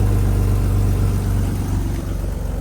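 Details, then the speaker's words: BMW E36 at start-up after temporary exhaust repair: smooth settled idle, clean exhaust note, rattle and exhaust leak gone; normal idle. "Oh yeah. Much better. See how there's no more rattle, no more leak."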